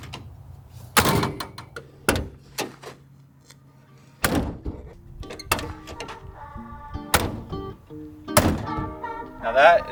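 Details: 1987 Suzuki Samurai after new inner window seals, outer door seals and sound insulation: a few dull, solid thuds as the door shuts, no buzzing or glass chatter afterward; door closes solidly with no window rattle.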